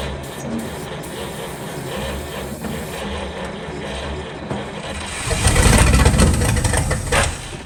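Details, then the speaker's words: 1940 Cadillac 62 series, 346 flathead V8, first start in about 20 years at -4, no exhaust fitted, gas and ether poured down carburetor: few seconds slow cranking, then sudden loud ragged firing on starting fluid before fading. "Wow! I wasn't expecting that. Come on, girl. Come on. It's trying, you can hear it hitting."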